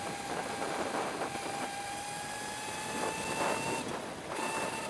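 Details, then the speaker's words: Sur Ron Light Bee e-bike fitted with a QS165 motor on the NXT tuner, street riding at 30% battery: the steady electric whine breaks off twice as the motor skips when the throttle is twisted hard. Cause unconfirmed. "Oh, yeah. If you get on it too hard, I guess it does that. So it definitely doesn't like you twisting the throttle really fast."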